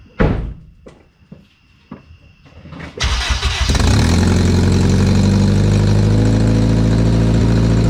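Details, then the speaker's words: 2005 Acura RSX Type-S after headers refitted and flex pipe deleted, oxygen sensors still removed: a few clicks, engine catches into a loud, raspy, puffing idle from open sensor holes; exhaust leak. "there's no oxygen sensors dude we let the car down and everything and we i was like what is that noise okay put the oxygen centers back in too that'll help"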